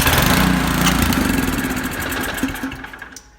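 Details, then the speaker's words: Nearly new 24-inch Powersmart snow blower that sat with old gas in it; float bowl cleaned, no success. After priming, the engine catches and chugs briefly, then fades and dies within three seconds, running only on primer fuel: a clogged carburetor. "Must be something clogged up inside the carburetor, because if you could hit the primer bulb a bunch of times, put it to start, fuel's on, pull it over,"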